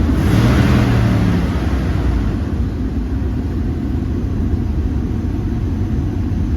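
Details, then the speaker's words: Jeep WJ 4.0 after replacing the ignition coil and plugs for code P0351 and resetting the battery terminal; it starts first try, and a brief rev drops to a smooth, steady idle with no shaking, so the idle is normal. "เครื่องเดินเรียบดีนะครับหลังจากเปลี่ยนหัวเทียนเรียบร้อยนะครับ"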